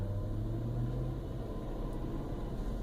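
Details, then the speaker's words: 1999 Toyota Land Cruiser 100 series after Bosal muffler and gasket replacement, first cold start, recorded in cabin with door closed: low even rumble with no drone, rasp or puffing; normal quiet exhaust note, no leaks. "And hopefully that'll come through on the sound clip, but it is much quieter. I'll do a walk around now. Sounds good. I don't hear any leaks."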